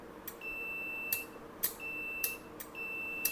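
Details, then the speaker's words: Relay from an inverter AC outdoor PCB, bench-tested off-board with a 9 V battery and meter continuity: three clean beeps with clicks at each close and release; contacts close properly, relay is good. "मतलब के यह relay okay है।"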